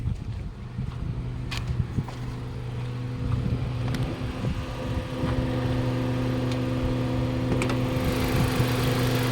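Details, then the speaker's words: Mazda 3 after repair of a boat-like engine noise, warm, during road test with air conditioning on and temperature normal: even low engine hum at idle, steady tone, no knocks or rattles, light road and air noise; normal idle. "Yan, yung idling natin. So check natin yung makina. So normal naman dito lahat."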